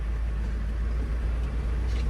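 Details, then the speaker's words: 1982 International 1624 tow truck, 345 small-block V8, 4-speed, at a fuel stop on the 300 km drive home: steady even low rumble with no stumbles or missed beats, purring like a kitten; running smoothly. "oh girls purring like a kitten"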